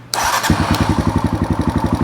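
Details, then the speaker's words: Cobra 50 with new battery: starts at once into an even thumping idle, about seven beats a second, with light rocker-arm valve tick, which is normal; quiet and healthy. "nice and quiet uh if you guys listen closely my mic here a little bit of a ticking um that's a good thing as a good friend of mine a very very good mechanic once said loud valves or happy valves"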